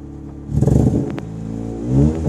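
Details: MK5 Ford Fiesta Zetec S on V-Power, new leads, coil, plugs, alternator, battery under a year old: idles unevenly, revs with ragged stumbling note; misfire, absent only at very light throttle.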